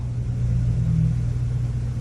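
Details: 2005 Chevrolet Corvette C6, engine off, with a newly installed Casper's manual high-low fan controller switch: electric cooling fan gives a steady, smooth low hum with no knocks or scrapes as it runs down normally.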